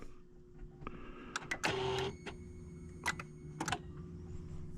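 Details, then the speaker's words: Car with intermittent starting, now no start: the battery, roughly 5 years old, reads 12.46 V and drops to 11.7 V on the key. The relay clicks sharply with no cranking while other lights work; the starter is suspected. "okay I hear the relay there it's right there try it again nothing it's going down to 11.7 to that's not bad though it's not dropping a ton H I really think it's combination probably starter probably the starter"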